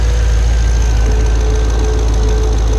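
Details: Pontiac G8 GT, L76 V8 with AFM/DOD, at idle: steady light knock riding on the low rumble from a collapsed AFM lifter; first failure at 44k, second at 66k miles.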